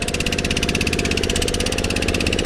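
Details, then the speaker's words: Kohler K301 single-cylinder engine on a generator that sat for years, after oil change and re-soldered wiring, starts easily; quick, even firing pulses at steady speed with no misses, running smoothly. "but other than that uh it fires up so easy so easy"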